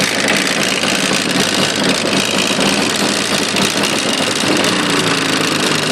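Two-stroke bike engine running steadily with a sharp, rapid knocking riding over the buzz; the source of the knock is unclear.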